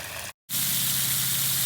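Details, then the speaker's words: Pool cleaner backup valve, just fixed from sticking and slow closing by pushing its small gear back onto the bar. A brief cut, then a strong, steady hiss of water jetting evenly as it opens into normal backup mode. "That would be your normal backup mode. There we go. Off goes the cleaner."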